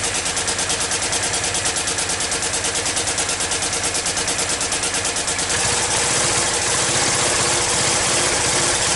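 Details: Yamaha Virago XV535 at idle with replacement carbs fitted: lumpy, uneven beat about three pulses a second, loud exhaust chuff and a blowing front pipe; rear cylinder missing, runs rough. Owner suspects a failing coil or an air leak.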